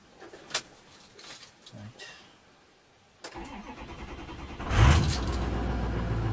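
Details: 2006 Ford 6.0 Powerstroke, fully warmed up, shut off and recranked (hot no-start/long-crank issue): the starter turns a second or two before the engine fires and runs. Slow start traced to low injection control pressure from a high-pressure oil leak.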